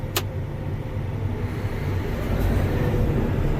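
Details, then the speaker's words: Combine after winter repairs, set for wheat windrowing with chopper pushed up and in neutral, threshing drum spinning up: steady, even low rumble with no knocks, squeals or rattles; sounds and feels smooth, healthy running. "Sounds smooth. Feels smooth. It's spinning."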